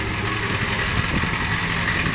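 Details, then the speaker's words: Diesel truck during a quick test drive: steady, even diesel clatter and rumble with no knocks or misses; no smoke, no issues. "No smoke, no issues."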